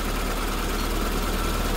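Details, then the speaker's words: SPI Mini, petrol, warming up after cold start, coolant and inlet sensors fine, alternator 13.9 V, idle starting to drop as engine gains temperature; even steady fast idle with low hum, no ticks or knocks; normal warm-up idle. "so the car has been running for a bit now you can see the idles starting to drop down we've got some temperature in this engine now"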